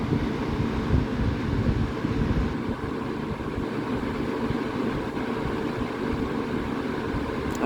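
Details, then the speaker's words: Vintage Vernco (Emerson Electric) 16-inch box fan model K-2, late 60s/early 70s, running on high: steady, even rush of air, no ticking, rubbing or wobble; as powerful as a 20-inch, just under 2 amps, 158 watts. "This is just a 16-inch. It's pretty much as powerful as a 20-inch."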